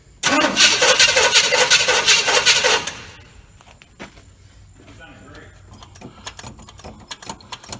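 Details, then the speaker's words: 1986 GMC truck with a swapped-in 400 small block, carburetted, choke on, after starter repositioning. About three seconds of fast, even cranking that never catches, then silence: no-start because it was out of fuel; it fired right up once refueled. "we was out of fuel that's what our problem was we had to go and get fuel and put fuel in it and she fired right up"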